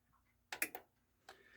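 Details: Technics SA-EX310 receiver on bench test: a few crisp sharp speaker on/off relay clicks in a quiet room, clean positive switching, no chatter; healthy speaker relay.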